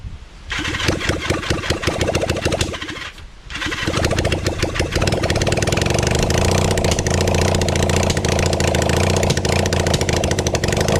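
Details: Kawasaki Zephyr 750 during restoration, carbs and exhaust just fitted, with some choke: long even starter cranking with one short pause and no firing; won't start because the tank is out of fuel.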